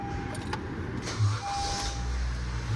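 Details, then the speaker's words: 2012 Honda Civic idling after a $50 muffler adapter repair of the failed exhaust, which was quite loud before. Now a quiet, steady low rumble with no rasp, puffing or blowing. Back to its normal original exhaust sound. "And it's back to normal. That sounds exactly like it did before all this stuff fell apart on her."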